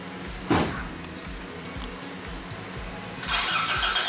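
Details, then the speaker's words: Toyota AE86 with fresh fuel, new battery, coil and igniter, being checked for spark: slow, steady starter turnover, about two and a half beats a second, never catches; cranks but won't start. "We're checking for spark. Alright, Evan, Yeah. give it a crank. Okay, stop."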